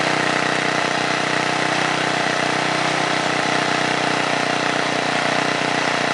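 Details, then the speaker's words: 1978 John Deere Tecumseh HM80 8 hp 318cc single-cylinder snowblower engine, restarted: steady, even putter at constant speed with no misses or knocks; runs cleanly. Normal running. "you can't beat these older two comes to snow kings especially the HM line they were built really well and as you can see runs really well"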